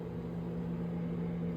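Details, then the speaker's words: Samsung 30 in. 1.7 cu. ft. over-the-range microwave, newly installed, running a 30-second cycle: steady even low hum with soft fan hiss, no rattles or clunks, not noisy, totally normal despite occasional turntable plate clunk noted elsewhere. "you can hear, that's not noisy. Totally normal."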